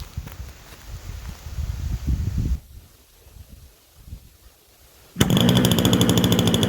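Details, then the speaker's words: Super Tigre 90 glow engine in Super Chipmunk RC plane, first start after priming, well-kept low-hours engine: catches and holds a steady, low, rough burble; needle set about three clicks rich to lube bearings at lower rpm. "secret i have it set rich probably about three clicks rich i like to run them lower rpms a bit get all the bearings lubed up before i take yours up too high"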